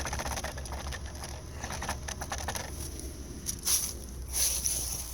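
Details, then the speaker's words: Quick, light plastic clicking from loose plastic lug nut covers wiggled by hand on a parked 2013 Honda Civic, whose rubber washers no longer hold them; the source of clicking over bumps and in turns. "it's basically a plastic hubcap lung nuts have this little rubber washer on it and when you tighten up the lug nuts the washer is supposed to push up on this and hold it in"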